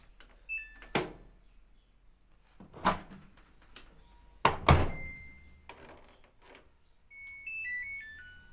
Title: Samsung auto dispenser making beeping sound/Dispenser not well locked